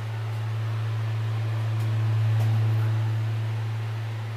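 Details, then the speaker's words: Wedge monitor converted to a homemade SubKick microphone, nothing touched: steady low hum near 110 Hz swells and fades over four seconds, a controlled low-frequency feedback howl that goes away as the person moves off. "up so there's our feedback that we were hearing earlier that's a almost like a controlled feedback I'm not touching anything"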